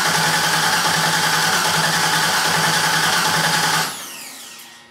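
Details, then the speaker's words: 1977 Camaro Z28 first start attempt: steady cranking about three and a half beats a second, never fires; fuel system suspected, later more gas added and pump sounded different. "okay so nope all right we gotta figure out what's going on with the fuel system"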